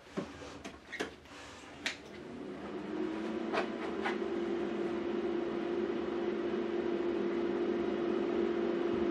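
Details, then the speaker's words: Hydraulic proportional valve solenoid for a bartending robot, wired without a fusible link: faint steady hum rising and holding one pitch; coil energized but the spool not pulling in. "wow that's drawn a nap already it's not pulling in why not"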